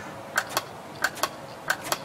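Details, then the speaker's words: Washing machine water level pressure switch tested by blowing into its hose port: crisp paired clicks, three pairs in two seconds, each cycle snapping cleanly; diaphragm intact, switch working normally. "That's a good switch. That means it's working. The diaphragm's not broken."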